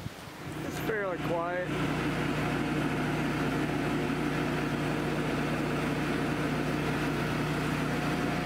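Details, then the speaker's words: New Cummins 17 kW generator for an off-grid house, just installed, first run on gas, heard walking up close: a steady, even engine hum with a low drone and no surging, knocking or rattles, running normally. "walk in here and see how loud it is you can definitely hear it here pretty good right here"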